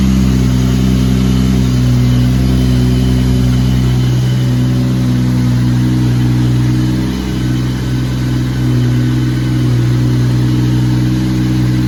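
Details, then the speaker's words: Lexus SC300 with 2JZ-GTE swap on EMU Classic ECU, not yet fully tuned, 4-inch straight-pipe exhaust, just cold-started: deep, even rumble at steady idle with no hunting or surging, running incredibly. Normal idle. "But other than that, the car's running incredible."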